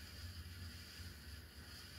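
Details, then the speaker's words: 42-inch SMC U42 ceiling fan on high, running in the direction mostly used in service: low uneven rumble with a faint hiss, bearings much noisier this way; bottom bearing needs work. "And as you can hear, the bearings are a lot noisier going this direction."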